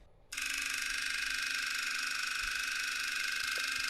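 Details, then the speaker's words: DIY high-voltage mechanical switch-mode supply using two relays as oscillator, one transformer coil as inductor; characteristic even machine-gun relay buzz at steady pitch, much higher output voltage, frequency unchanged under load; normal stable relay oscillation. "again here the characteristic machine gun sound we're seeing a much higher voltage this time"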